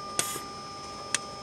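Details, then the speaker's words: 2006 Mazda3 2.0 with code P2177 (system too lean off idle, bank 1), poor performance: sharp light ticks about once a second from the intake runner control valve switching normally; the other runner valve makes no click, solenoid suspected. "that that ticking sound that's what she should be hearing on both cylinders"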